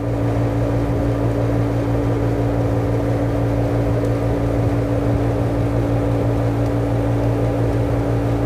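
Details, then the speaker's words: Window air conditioner in a very hot room in Riyadh, thermostat turned down; compressor not cutting out because the room is still hot: steady low hum with even fan rush; normal compressor running. "अभी नहीं band हुआ क्यों क्योंकि यह room में गर्मी बहुत ज्यादा है इसलिए बैंड नहीं हुआ"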